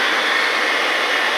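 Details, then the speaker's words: 2002 Dodge Ram 1500 4.7 Magnum V8 with 137,687 miles, after fixing a crank-no-start with a replaced PCM, plugs and coil packs: steady even high idle roar just after starting, no misses or shaking, runs smoothly. "idol down here in a minute about runs real smooth no shakin"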